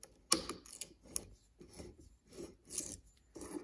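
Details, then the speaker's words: 1987 Nissan 300Z water pump, removed after it failed catastrophically following a squeak: dry, gritty crunching in bursts as the shaft is turned by hand. Both bearings are worn out, and the pump is an aftermarket unit. "it's crunchy both bearings I thought it was just the outer one but man we just wrote the whole thing off"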